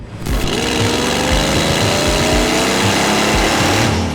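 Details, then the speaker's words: Cheap used V8 revving with a catastrophic exhaust blow; harsh, raspy chuffing rising with revs, needs headers; exhaust manifold leak. "Those of you with a keen ear might be able to hear the fact that this car doesn't sound that healthy. That's because it has a catastrophic blow."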